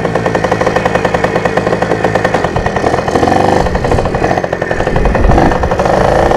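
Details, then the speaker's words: Rebuilt junkyard Yamaha PW80 two-stroke with a carb kit and Boyesen reeds, during its first ride: choppy note that stumbles and fails to climb as the throttle opens. Bogs badly, usable only in first and second gear; owner suspects fuel mixture or a vacuum leak. "because as you can tell from the video the thing bogged really bad like I didn't even you have I wasn't even able to use their gears only first and second"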